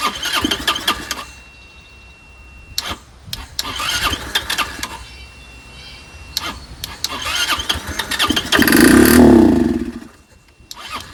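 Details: Curb-found Chinese 150cc Moto Cooper Revo/CF Moto scooter, ignition hot-wired (spark confirmed): repeated cranking bursts with pauses and one brief catch that dies away; fires only when primed, owner suspects fuel delivery problem.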